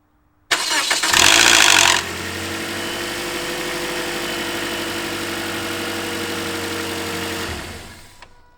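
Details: 2010 Toyota Corolla, cold start: loud metallic rattle for about one second then steady idle, from a worn VVT-i sprocket (cam phaser) needing replacement; stops once oil circulates and doesn't recur on a second start.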